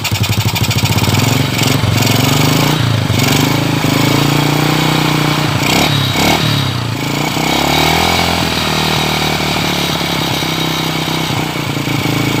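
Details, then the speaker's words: Single-cylinder motorcycle running on a previously dead used spark plug with gap widened slightly: catches and settles into steady even idle with a few throttle blips, firing cleanly; plug works again, normal running. "Nah seperti itu bisa dibuktikan ya, ini bahwa terbukti busi yang mati awalnya mati dan ternyata masih hidup kembali, masih bisa hidup kembali ya."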